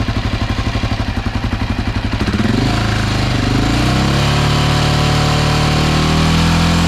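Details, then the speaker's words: Honda XR650L after the factory decompression mechanism was refitted and the exhaust valve adjustment was fixed, fully warm after about 15 minutes with the choke slightly on: a steady, even big-single idle, then clean revs to a smooth held tone, no knock or tick; whisper quiet. "Had the choke on just slightly. That motor sounds whisper quiet. Don't know what he was referring to."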